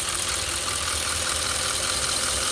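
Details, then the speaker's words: Audi S5 with misfire and catalyst efficiency codes idling softly under a loud, steady hiss of air sucked in through a leaking intake pipe. "while the Vic was drumming I can hear the hiss I don't know whether you can hear it"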